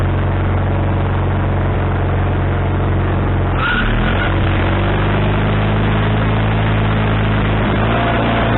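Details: Wood-Mizer LT40HD sawmill engine with a newly installed replacement carburetor: steady drone that shifts pitch midway, then holds high and won't settle lower. The idle can't be adjusted down, and the owner suspects the linkage was hooked up wrong.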